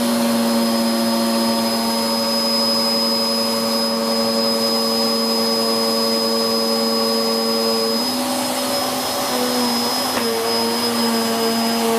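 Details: Hoover Whirlwind Pet WHS2102 001, a 2100W bagless upright bought in 2013 with a refitted belt, on carpet: a steady high motor whine and a loud, even brush roll with no pitch wobble, noisy from the aggressive brush roll; normal running.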